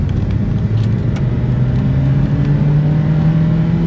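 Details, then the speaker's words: Rebuilt Hyundai engine on its first test drive after the rebuild, pulling away on a bumpy road: engine note climbs smoothly and evenly with no knocks, ticks or hesitation; normal, healthy acceleration. "It's pretty good, I will say. I'm pretty happy for a first drive. It's one of the less eventful first drives that we've had on project vehicles."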